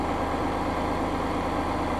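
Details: Massey Ferguson 5610 tractor diesel after new fuel filter fitted during its 500-hour service: steady, even idle with a firm regular low chug and no misses or knocks; runs clean and healthy.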